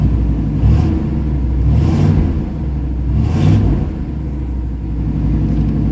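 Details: Restored 1980 Pontiac Trans Am Turbo Special Edition, turbocharged, rebuilt power enrichment valve, custom distributor curve, engine still cold on high idle: steady raised idle, low even hum, slight rev swells, no knocking or misfire; healthy.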